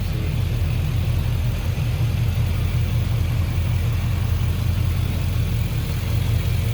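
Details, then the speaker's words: 1967 Chevrolet C10 with 5.3-liter V8 from a 2004 GM vehicle, serpentine belt, aluminum radiator: steady, even low rumble at idle with regular beat, no knocks or misses; engine idles cleanly. "And the engine idles nicely,"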